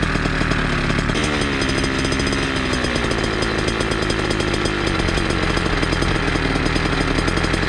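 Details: Small two-stroke chainsaw-style pumper carb on a motorized bicycle, tuned from low screw 1 turn and high 2 turns out, idle adjusted down after running high: fast, buzzy idle holds steady without surging or dying; idle setting fine.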